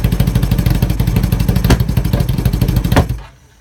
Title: 1980 CB 750 K rough idle